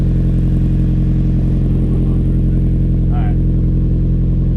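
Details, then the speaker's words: 2000 Mazda MX5 Miata NB idling right after installing an ISR cat-delete exhaust with a four-inch exit. Deep, steady, loud drone with an even beat and no puffing or ticking; checked for leaks and none were felt, so it is healthy. "all right we're gonna try to start it up might die right off we're gonna check the leaks let's get a real close action all right start her up that sounds awesome"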